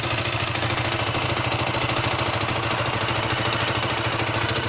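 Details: 2015 Derbi DRD 125 (electronic injection) hot at idle: a thin, high squeak over a fast single-cylinder putter, only when hot at idle or very low revs. Coolant and oil levels are correct and it runs normally; the owner suspects an internal source, still unknown.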